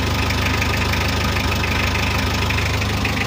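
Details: Mitsubishi L300 diesel after pump setting, rotor head upgraded to 12mm and final gear ratio changed, new original part fitted: steady, even diesel clatter at idle with regular firing beat, no misses or knocks; runs smoothly.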